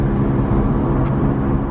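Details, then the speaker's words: Worn Honda Civic with decent miles, driving at speed: a steady low droning hum under the road noise. The owner is fairly sure a wheel bearing is failing and replaces the wheel hub afterward. "I don't know if you guys will hear it it's either now I'm pretty sure to rewrite one and they are pretty easy to replace so honestly I think I will replace it this car already has too many drawbacks to an additional one and the noise like somebody could probably get a headache from it so"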